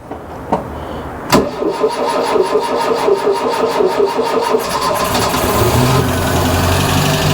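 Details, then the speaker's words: Ford Fiesta Mk1 Ghia 1.1 barn find, after repeated cranking: a few uneven turns, then catches and settles into a steady idle; the choke wasn't sealing properly, upsetting the air-fuel mixture. "all it was was the Coke wasn't sealing properly so the air fuel mixture wasn't the right"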